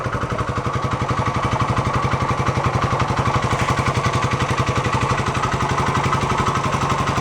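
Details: 1972 Honda SL125 single-cylinder motorcycle, nearing end of restoration: steady, even single-cylinder thump at idle about three beats a second, no knocks or misses; timing may still need slight adjustment; normal idle.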